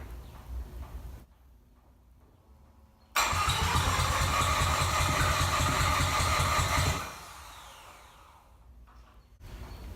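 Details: Freshly rebuilt bridgeport-ported 13B Turbo II rotary from a 1991 JDM RX-7, cranked with one ignition coil disconnected: about four seconds of steady, even cranking that never catches, then spins down; will not fire.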